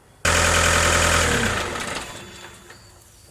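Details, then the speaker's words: Peugeot Boxer/Citroën Jumper/Fiat Ducato 3.0 L Iveco engine, after repairing the throttle body connection (P0638, water ingress): engine switched off winds down smoothly with a soft valve click as the throttle valve closes, a clean shutdown with no shudder. "at the shutdown you heard the valve i saw it also it's on the back and it closed you hear a clean shut off no shuddering"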